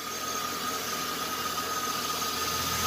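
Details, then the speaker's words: 2002 GMC Sierra, likely 5.3 V8, 221,000 miles, alternator looks new and headlights bright. A quiet, even under-hood hum with a faint steady whine and no knocks or misses. Normal, healthy idle. "yeah it's a good runner man headlights are nice and bright"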